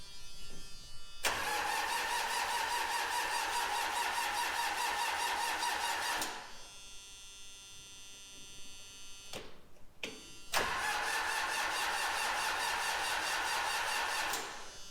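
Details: 1995 Gehl 5625SX diesel skid loader with long-standing hard starting, traced to a faulty glow plug relay (replaced). Two ~five-second cranking spells, steady starter whine and even pulses, never catching.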